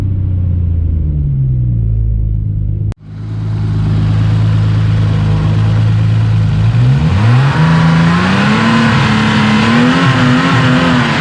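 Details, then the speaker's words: Ford XR4i with Scorpio 24-valve 2.9 Cosworth V6, after retrofitting variable intake via ViPEC ECU and BMW EGR vacuum solenoid: clean V6 pulls smoothly through the revs with crisp pitch rise, no knocks; VIS apparently switching on and off as expected. Normal revving. "so that was fun and it seems to be looping or switching it on and off as I was expecting"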